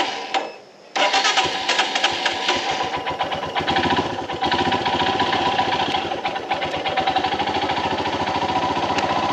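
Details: Royal Enfield Himalayan BS VI engine on a cold morning start: catches after a short crank, then a fast steady ticking clatter over the idle, occurring only in the mornings; cause unknown, unresolved at service.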